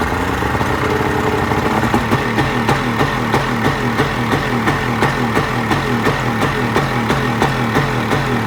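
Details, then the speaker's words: Outboard motor that began knocking when opened up to get underway. It runs with a sharp regular knock, roughly three per second, over a rough engine note. The cause is unknown. "my motor started ringing dinging kicking left and right and I don't know what the hell the problem is"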